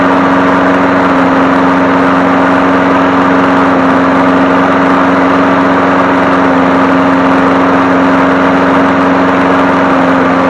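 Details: 2001 Craftsman 21-inch push mower 917.388721 after crankshaft oil seal replacement and oil change, oil slightly overfilled: steady, smooth drone at constant speed, even hum, no surging, knocking or misfire; normal running.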